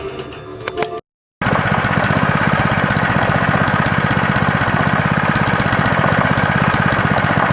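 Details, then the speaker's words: Honda swap-meet small engine after carburetor cleaning, a new fuel hose, fresh oil and a pull-start fix: after some handling noise it settles into a steady, even chug at an unchanging speed, running normally. "be running pretty good I just put some new oil in it"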